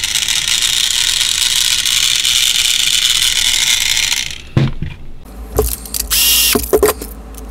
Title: How to fix/repair noisy broken gear on Hiro Trackmaster Thomas and friends Tomas y sus amigos